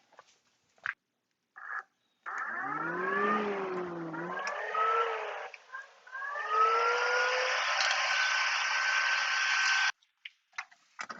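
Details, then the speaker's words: 2014 Can-Am Commander 800 new aftermarket Hayden fan motor, test run: rising electric whir to steady high zing, normal fan motor operation. "i think definitely zings so there you go that was a pretty easy install"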